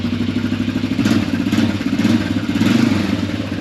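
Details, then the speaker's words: 1995 Yamaha Kodiak 400 4x4 ATV, started first pull while being fixed up: small single putters at steady idle with light pulsing and mechanical clatter while four-wheel drive is tested and works; normal running. "You know, decided to start it up. It actually started first pull, so, and I always wanted to make sure that the four-wheel drive works, so"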